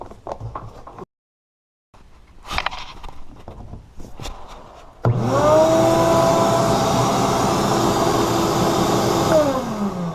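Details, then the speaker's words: Ridgid shop vacuum after oiling its motor bearings: starts, runs with a steady even hum and airflow rush, then winds down smoothly, the previous whining gone. "oh sweet it's not whining anymore it's really quieted down"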